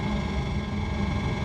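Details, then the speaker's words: RV Hydro Hot burner after DIY annual service: steady, even low roar with a faint constant tone, no misfires, leaks or rattles; normal steady burner operation. "all in all I'm pretty pleased with the progress we made today it sounds like steady operation with no misfires or anything"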